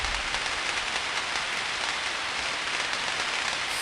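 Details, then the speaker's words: 34,000-volt switch recorded by ultrasound: a steady dense crackle and sizzle with fine popping and no mechanical rhythm; tracking across the switch insulator. "audibly there's something wrong with this 34 000 volt switch isn't there it should not have them popped"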